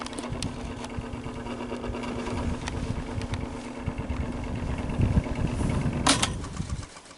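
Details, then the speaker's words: Fan motor with very bad bearings: hum with uneven scratchy rubbing as fan spins up; owner suspects excess hub end play lets rotor rub rear motor casing at the bearing, likely from a botched earlier disassembly; motor not yet opened to confirm. "when you hear that scratching noise, when the fan gets up to speed a bit, the rotor's actually pushing on the back of the case, the motor casing, like rubbing right on that bearing,"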